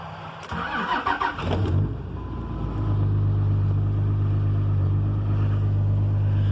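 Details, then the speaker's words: 5.9 Cummins diesel cold start at 27 degrees after sitting days, in neutral after grid heater wait: short crank then catches into steady even high idle with deep rumble; healthy cold start. "know she's cold when she kicks you right into high idle figured you guys would enjoy this video man it sounds good"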